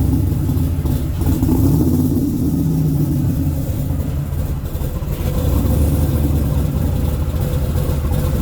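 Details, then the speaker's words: C10 with 5.3 V8, sloppy stage 2 cam, free LSA supercharger (~5 psi), 03 Silverado PCM and harness, 4L60E, before tuning: idle choppy, hunting up and down every few seconds chasing itself, never settling from a bad tune. "you can hear how bad it chops and how bad the tune is i was trying to sit here and hunt for an idle going up and down up and down chasing itself"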